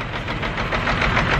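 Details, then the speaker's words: Caterpillar C15 diesel truck, scan tool shows four dead injectors, run off a couple of gallons of diesel super-dosed with injector cleaner: dense, uneven clatter with a lumpy beat, running really rough; misfire from clogged injectors. "Well, we got that all going. It fired up, and it's just running like rough, like really rough."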